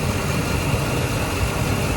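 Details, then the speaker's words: Ford F150 5.4/4.6 2V V8 with code P0307: rough, uneven idle with a dropping beat as the tester shows cylinder seven cutting out while a good cylinder stays consistent; misfire from failed ignition coil, cured by a new coil. "so if i put this on number seven you see that it comes in and out that right there is telling me that it's got a misfire and if i go and i put it on one that i know is good it stays consistent put it back on number seven"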